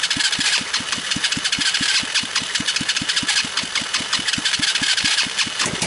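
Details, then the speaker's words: 110cc Chinese automatic single-speed ATV that inhaled water, grass and dirt into its carburetor with no air cleaner after a mud romp, started on gas trickled into the fuel line and starting fluid: slow, even thumps about four a second under a loud hiss. Rough running, cause unconfirmed. "it's making bad sounds let me jack this up or put a block under it or something then we'll see what happens"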